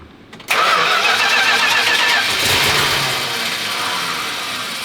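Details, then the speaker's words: Restored 383 V8 with crack-welded block, first start in the car after timing was advanced: loud, steady cranking hiss and whirr that never fires, because fuel hasn't yet reached the carburetor from the rear tank, so it needs priming. "So the reason I keep having to primer it right now is because the fuel hasn't made its way up to the top."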